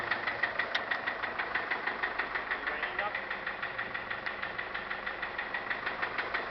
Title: 2006 nissan caravan engine knock